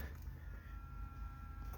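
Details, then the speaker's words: Parts pickup truck, key on with clutch in: thin, steady whir for about a second over low cabin rumble, then cuts off; fuel pump priming normally, though engine is believed seized. "did you hear the did you hear the fuel pump just then"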